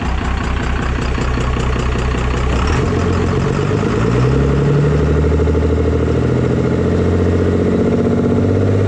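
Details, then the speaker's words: 24V diesel pickup after injection pump swap, pump timed to stock, not fully warmed up; steady low idle with loud hollow sucking and chuffing because the intake is off, noise goes away with intake fitted. "sounds weird is because the intake's off. That noise goes away if there's an intake on it."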